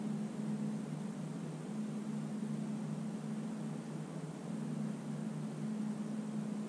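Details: 1968 Detroit 3-53T diesel, first cold start after a total overhaul, with the engine at 4.5°C and the outside at -3°C: a steady, even drone with a constant low hum and no knocks or misses. It idles smoothly.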